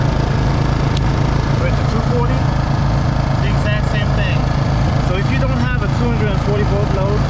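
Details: Two GENMAX GM4600i inverter generators paralleled, switched to 240V output, 123V each at 60 Hz: steady even low drone, no misses, knocks or hunting, in sync; normal running.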